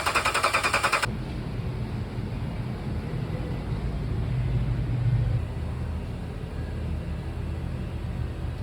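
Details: 2014 Ram 1500 HEMI V8 gives a sharp rattling burst at startup, then a low, uneven, stumbling idle from a cylinder 2 misfire caused by a destroyed camshaft lobe and lifter.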